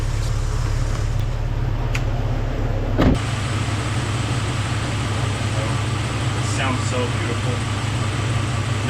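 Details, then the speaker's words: Jeep Cherokee XJ 4.0 with newly installed reman engine, timing set with vacuum gauge: smooth, even, low idle with no ticks, knocks or odd sounds; engine healthy. "ticks, no knocks, no weird sounds. Just sounds like a pretty beautiful engine."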